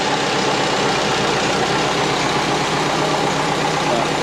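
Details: Twin-turbo Subaru Forester after refitting the power steering O-ring and wastegate, warming up: steady, even idle with no knocks, misses or hunting; sounds healthy.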